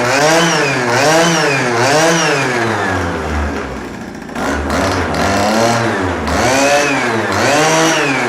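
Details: Pocket bike / mini bike small two-stroke with Dellorto SHA 15mm carburettor, first start on oil-rich fuel mix, some smoke and small exhaust leak; buzzes and revs freely in crisp clean blips, running normally.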